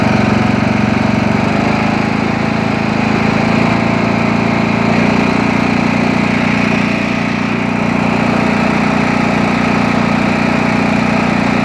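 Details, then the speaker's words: Craftsman T2200 tractor, Briggs 540cc, just reassembled after camshaft replacement: loud, smooth, constant idle with a steady low hum, no knocks, ticks or misses; no leaks or smoke; healthy. "it's not leaking gas it's not leaking oil it's running perfect sure it's not smoking at the exhaust good sign"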